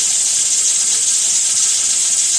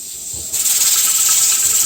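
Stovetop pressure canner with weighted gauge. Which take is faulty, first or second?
first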